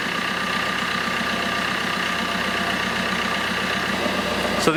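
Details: 2008 Fiat Panda 4x4 with a 1.3 Multijet diesel, idling just after a thermostat replacement while the coolant bleeds, before warming up: a steady, even clatter with a smooth regular beat and no knocks or misses. It runs fine.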